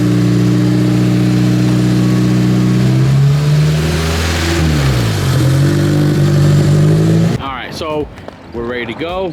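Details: Honda K24-swapped sand rail on Hondata K-Pro, first runs on a remote tune with fuel not yet dialed in: fast idle rising and falling in pitch with an uneven, slightly lumpy beat; runs a bit rough.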